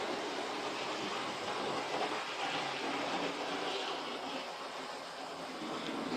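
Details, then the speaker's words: 30-year-old Hornby Class 37 model locomotive, three-pole ring field motor, after servicing and hardwired DCC decoder, runs forward and reverse with steady even whirr and light rail clatter, no stutter; normal running. "so let's give it a go and see if it works and away she goes and we'll try our in reverse there we go"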